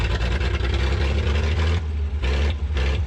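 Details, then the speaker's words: 1959 Chevrolet Biscayne, unrun for about 40 years: a deep, even six-cylinder rumble with no misses. It is finally running properly. "She's running! We got her, Mojo!"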